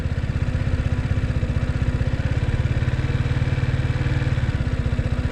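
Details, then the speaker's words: Motorcycle in first gear on an incline, rear brake held, clutch slowly released: steady low thumping idle about three beats a second that bogs slightly as the clutch bites and the bike starts moving; normal clutch engagement. "that means the gear is engaging so if i sleeve this the bike will start moving on its own"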